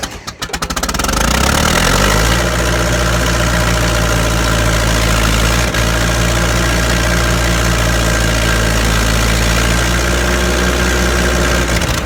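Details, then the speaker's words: Massey Harris 50 tractor with a jerry-rigged jumped wire in the dash power circuit. A steady, even cranking drone lasts about ten seconds but never catches, because the fuel valve was left shut. Cranks, no start. "I didn't open the fuel."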